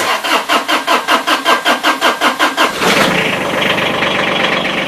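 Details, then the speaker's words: Diesel mower cranked cold without preheating glow plugs, oil changed last spring: about a dozen even cranking pulses for nearly three seconds, then catches into a steady clattery idle; normal cold start, quicker with preheat. "that's a no glow plug start even though the glow plugs come on while you're cranking but if you preheat it it'll start a lot quicker"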